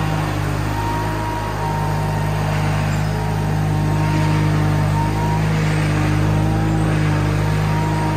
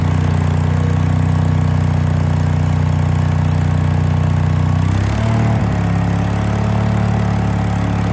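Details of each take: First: Case 1816C skid steer after sitting 10+ years in a barn: steady low diesel drone holding an even beat as it pulls away under its own power, no knocks or grinding, running healthy. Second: Case 1816C skid steer sat 10+ years, first run: steady low engine drone, then a brief dip and rough tone change as drive is engaged; it tried to move but sounded starved, owner suspects hydraulic oil drained out.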